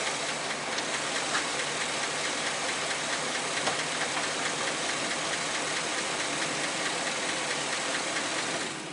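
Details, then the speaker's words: 2008 Chevy Express 6.0L V8 at 312,000 miles idling before a motor flush and oil change: fast, uneven light tick about two per second over a steady idle; owner blames failing lifters, possibly a broken one, and notes low oil pressure. "let's listen to that tick can you hear that tick that's the lifters going bad and you can see we don't have a lot of oil pressure"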